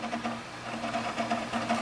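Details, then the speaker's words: Asus M32AD OEM PC booting in UEFI mode to install an OS from DVD: the hard drive gives rapid irregular ticking and clattering over a faint hum, louder than normal seeking; the drive is noisy under load. "now that it matters that drive is loud I me listen to that"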